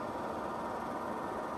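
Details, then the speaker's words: Suburban furnace (about 42 years old) during rebuild: blower running after fitting the new motor in place of the worn original, much quieter; smooth, even whoosh of air with no squeal, rattle or bearing growl, normal blower operation. "it's running with the new motor. Much quieter. Looking good."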